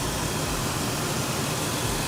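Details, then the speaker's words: 4.0-liter engine in a $200 4x4 off-road project vehicle, with a steady, even idle hum and no knocks, ticks or misses. Normal idle. "it's got the 4 liter she just buzzes"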